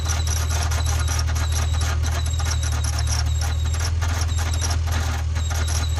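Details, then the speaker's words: Acura NSX running: steady high squeal over deep engine hum, unchanged after spraying belt; accessory belt or pulley squeal, belt slipping at alternator suspected after voltage drop, not confirmed. "that [ __ ] was like the alternator slipped i saw the voltage drop a little bit they came back and i was like okay bell's slipping"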